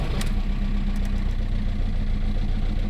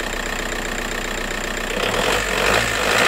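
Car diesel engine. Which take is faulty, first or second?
first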